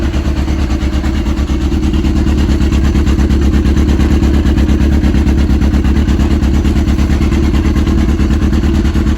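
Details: Yamaha RX1 1000cc four-stroke snowmobile engine, sat 6 years, running after ultrasonic carb clean and new fuel bungs: steady, even thrum with smooth pulse and occasional light throttle blips, running cleanly; normal running.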